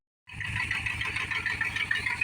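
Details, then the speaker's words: Dodge Power Wagon just started cold in winter, choke on and running rich: fast, sharp ticking puffs with a hiss over a soft idle from an exhaust manifold leak where a manifold bolt is missing. "I do hear quite an exhaust leak over here uh yeah it looks like we're missing a bolt on the manifold right"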